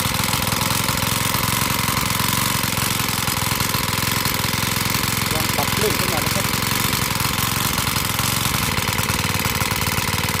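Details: Honda GX35 four-stroke brush cutter, after carburettor cleaning and raising the needle for freer fuel flow, buzzes at a steady high speed without stumbling or cutting out; running cleanly.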